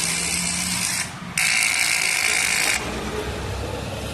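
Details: Honda CG150 motorcycle, battery at 100% with CCA 121; pressing start gives a harsh, high buzzing chatter for about a second and a half with no cranking; starter relay chattering, no crank.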